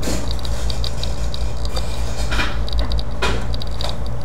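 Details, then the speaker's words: Seagate hard drive from an iMac brought in for data recovery: light, uneven ticking and clicking over a steady low spindle hum, and the drive is not detected. A physical fault is suspected. "probably hear the drive it's cranking it's working it's making noises which is not good"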